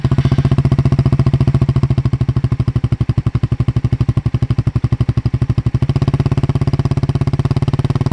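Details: Suzuki GSX-R150 with NOB1 aftermarket exhaust, stock ECU: loud, crisp single-cylinder exhaust pulses, evenly spaced as the throttle blips up and settles; no stutter (brebet) or popping, normal revving.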